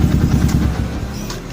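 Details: Yamaha Old Vixion single-cylinder that had died and would not start: catches and settles into an even, steady idle with regular low thumps once the engine stop switch is bypassed, fault traced to the stop switch.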